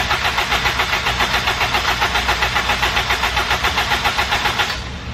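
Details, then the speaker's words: Supercharged Honda K20A in Civic Si build, injectors unplugged to circulate oil and supercharger fluid, fuel pressure about 45: steady even cranking at roughly four compression pulses a second with no firing; normal. "So the injectors are unplugged, so it's going to crank over, so don't panic if it doesn't start."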